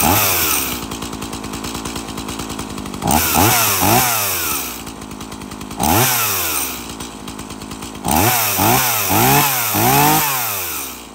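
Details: Stihl MS 170 30cc chainsaw, carbon cleaned, bar and chain refitted, chain brake working: buzzy idle, then repeated sharp rev bursts dropping back cleanly each time; running normally.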